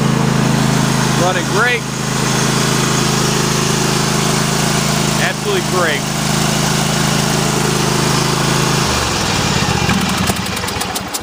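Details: Kohler CV740S V-twin (about 25 hp) on Sears Craftsman tractor 917-275-285, running in cold weather after new engine breather plate and gasket fixed breather oil leak; steady even hum, no knocks or misses, no leakage.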